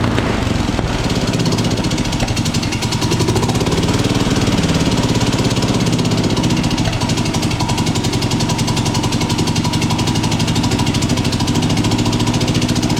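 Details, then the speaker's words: MTD drag-racing lawn mower, single-cylinder, revived after about 8 years sitting, carburetor worked on; rapid, even putter held a bit above normal idle because the worn carburetor throttle shaft makes it idle fast. "I got it to idle it always idled a little bit fast with that poring the way it was on there but also the bottle shaft on the carburetor is a little bit worn too so it'll make it idle a little fast"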